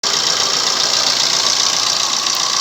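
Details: Maruti Suzuki Swift Dzire diesel at idle: a steady metallic rattle, strongest in the treble and unchanged at constant revs, from a worn, slack timing chain needing replacement.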